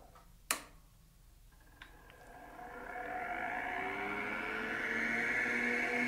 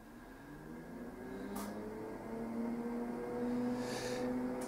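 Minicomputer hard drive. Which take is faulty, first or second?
second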